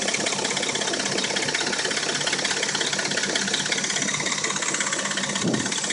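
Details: Dodge Intrepid at warm idle: a busy, rattling tick about three times a second rides over the engine, with a knock. Rattle and knock occur only when warm; cold, it sounds like a new engine. A timing chain rattle is suspected, unconfirmed.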